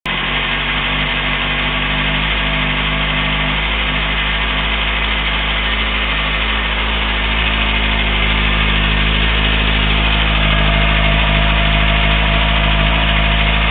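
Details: Kawasaki ZX-6R four-cylinder motorcycle idling after being dropped; faint repeating beat about four a second over the engine hum, unidentified abnormal engine noise, cause unconfirmed.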